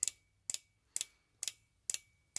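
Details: Fuel injector pulsed off 12 volts for cleaning with cleaner can feeding it: crisp, evenly spaced clicks about twice a second, normal solenoid opening and closing, pulse rate adjustable by dial.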